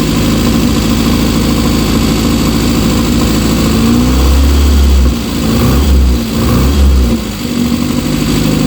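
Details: Rover Mini with repaired hot/cold air intake flap: steady idle, then quick clean blips that rise and fall crisply with no stumble; slight black smoke while it clears out after long rough running; normal revving.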